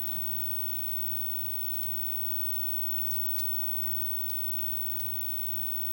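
A steady low mains hum with a faint high whine, even and unchanging, with no crackle or popping; the monitor is running normally.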